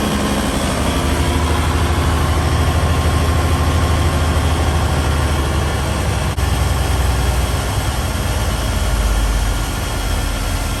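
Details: 1971 Peterbilt 352, after replacing the rusted air tank: low, steady diesel idle building air (about 15 psi) with decent oil pressure; no knocks, misses or hissing, no major air leaks heard.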